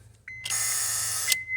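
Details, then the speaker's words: 2008 Honda CR-V with intermittent no-start, starter already replaced elsewhere: with the key turned to start, a steady high electrical buzz for about a second with no cranking; starter relay buzzing, no crank. "buzzing noise but it doesn't no start no starter operation"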